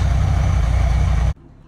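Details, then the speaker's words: 1967 Ford Country Sedan wagon with two-barrel carburetor, first start after sitting 30 years; fired right up, steady even low rumble just over a second before shutdown, though fuel leaks, possibly fuel pump: normal idle. "okay here we go all right fired right up listen to that"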